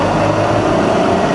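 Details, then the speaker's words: Rebuilt Bridgeport milling machine variable-speed head, high range, spindle in reverse sweeping up through 900, 1,300, 2,000 to 2,500 RPM: steady smooth hum, no knocks or grinding; running as it should. "2,000, and 2,500. All running as it should."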